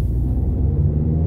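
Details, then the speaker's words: Nissan Primera P12 on a road test through a roundabout after the exhaust noise was fixed: steady low road rumble, with no metallic banging from the rear. The exhaust is quiet and secure. "good it appears we've been successful in fact the only noise coming from the back of this car now is the kids"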